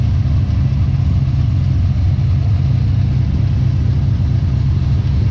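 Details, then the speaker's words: 1990 Chevy Camaro small-block V8 with Holley Sniper EFI, idling: faint, fairly irregular tick or knock over the rumble; rockers, pushrods, exhaust, belts and pulleys checked OK, owner suspects a bad rod bearing, unconfirmed. "okay but anyways that that's how it's been running right now you can hear that slight tick"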